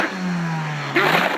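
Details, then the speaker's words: Car engine with a broken exhaust that has come loose, heard from the engine side on a morning start: loud, hollow boat-like drone after a bang like an explosion, an exhaust leak. "Lepas aku buka depan rupanya ekzos aku pecah. A ekzos kereta aku dah terkeluar dah. Dah bunyi kau tahu bunyi bocor macam mana bunyi?"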